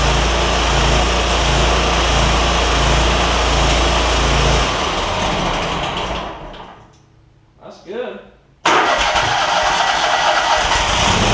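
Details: John Deere ZTrak Z915E Kohler V-twin, sat 2 years, jump-started with carb spray: starter churns, engine catches and settles to a steady idle after a brief dip; oak leaves on the cooling fan. Normal start.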